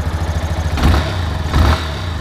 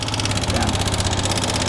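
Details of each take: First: Yamaha Fazer 250, after repair of an engine noise: two quick blips then smooth even single-cylinder idle with no ticking; engine sounds healthy. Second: Yamaha Fazer 250 motorcycle at idle: quick, light ticking in time with idle on top of the engine, grew louder over time; mechanic first suspected cam chain.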